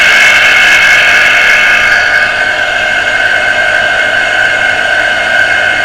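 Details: Water pressure pump motor that had only hummed and not started, heavily jammed and beginning to free up after servicing, run on socket; steady high whirring hum with harsh gritty edge, no real rhythm; tight, dragging stiff bearing.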